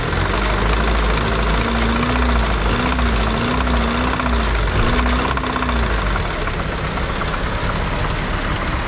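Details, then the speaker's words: Car engine at idle with hard, loose, uneven metallic knock about four times a second, like grinding metal; mechanic diagnoses connecting rod knock from excessive clearance on one or two pistons, needing rod replacement and crank regrind or replacement. "Kalyabe, rinig na rinig mo yan. So para kang may ginigiling na bakal sa loob. Kasi yung piston yan, yung isa hindi na umaabot."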